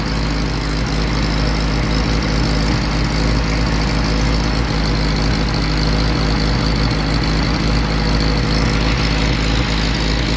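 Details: Willys CJ-2A Jeep L134 engine with new plugs, wires, coil and new-production Carter WO carb, idle and mixture screws tuned by ear, heat riser not fully closed: low, lumpy idle that never settles and skips now and then; rough intermittent miss.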